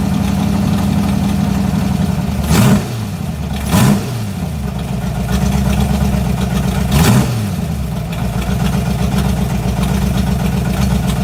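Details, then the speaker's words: 1986 Mustang GT 5.0 with B303 cam on speed density (stock EEC), ported E7 heads, 19lb injectors, long-tube headers: lumpy, uneven idle broken by three quick blips that hang and fall back unevenly; rough idle, cam–speed-density mismatch suspected. "it does not sound fantastical and uh to be perfectly honest the um speed density and the b cam you know they ain't getting along too great"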